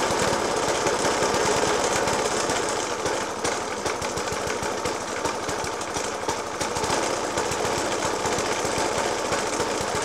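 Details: Suffolk Punch 30S lawnmower (1991 era) with Dellorto FCH 20 carb: loud uneven bangs about three a second, engine thumping roughly at idle after spark plug change, decoke and carb clean; cause unknown.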